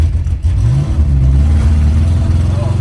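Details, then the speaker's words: V8 car driven with fouled spark plugs and no replacements on hand: an uneven, lumpy beat that stumbles and thins out like an air-cooled VW, with no power; misfire on two cylinders. "Runs bad. So unhappy. Oh, that's horrible. Oh, it sounds like a Volkswagen."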